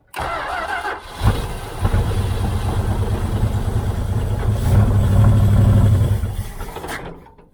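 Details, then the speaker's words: 1978 Dodge Aspen R/T, sat since 1987, carb float suspected full of dirt: cranks, catches, runs lumpy and uneven, surging then dying, on fuel poured into the carb, some smoke, Seafoam tried; rough running. "i can't get it running consistent enough to really hear it if it's clear"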